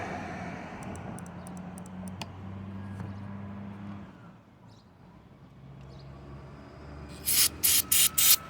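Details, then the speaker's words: Honda CBR600RR fuel injector, from an engine fitted in a golf cart that sat for years, bench-fired during cleaning: quick sharp even clicks with crisp spray hiss, clicking and spraying well, kept for use; healthy injector. "oh see now you can hear this one i like that oh that one's spraying real good that's definitely one that i'm going to keep right there using that one i only need two injectors yeah this one's clicking good"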